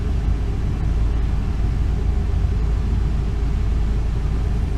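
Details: 2002 Ford Econoline E350 5.4 Triton V8, a little over 100,000 miles, after new spark plugs and one coil pack for a P0351 code and misfire: steady even low idle rumble, no stumbles; firing cleanly.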